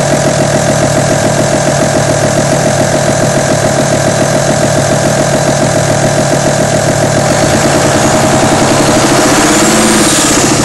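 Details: Audi A6 2.5 TDI diesel at idle: fast, fairly even light rattle of about three or four a second over the clatter, likely valvetrain; camshaft, hydraulic lifters or rocker arms suspected.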